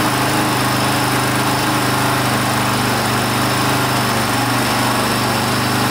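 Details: 1982 Honda XL500R single-cylinder running for the first time in years after valve adjustment, carburetor cleaning and reconnecting the pickup coil wire; thump settles into a fairly even idle, steady exhaust note, no misfire or knock.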